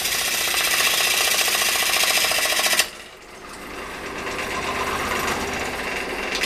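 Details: Large outboard turning blank balanced to limit vibration, lathe's underpowered motor at its lowest speed: quick steady gouge tapping about 3.5 per second, no shudder; smooth interrupted cut on a balanced blank.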